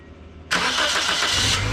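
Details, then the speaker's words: Wrecked Toyota Corolla after motor mount replacement, sat for a year, first start after fitting battery and air box: silence, then engine catches at once and settles into a steady even idle without stumbling; normal start and idle. "oh check that out it's like nothing it hasn't been sitting there for a year no way"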